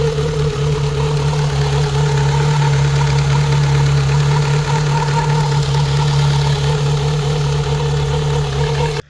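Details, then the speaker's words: Warm Rover 25 GTI, 1.8L VVC petrol, idling around 1100-1200 rpm instead of 800-900 after a 70 mph drive; fast deep drone with a slightly lumpy beat; white exhaust smoke, head gasket or IACV suspected. "It was idling reasonably high, and it was a little bit rough."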